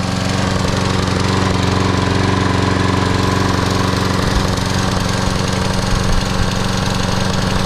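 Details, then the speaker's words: Free Troy-Bilt 21-inch mower, Briggs & Stratton 675 series auto-choke engine, after carburetor and gas tank cleaning and new ungapped plug: steady single-cylinder chatter at full throttle, beat stumbling now and then; occasional miss, cause not yet found. "Kind of got this miss every now and then. Not quite right yet."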